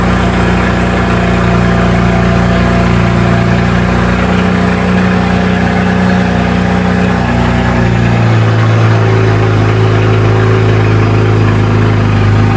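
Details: BMW Z4 N54 first start, not yet warm, after walnut blasting the intake valves and new gapped spark plugs, not run in a while: steady, even idle with a smooth low hum that settles slightly lower; no misfire or ticking, healthy.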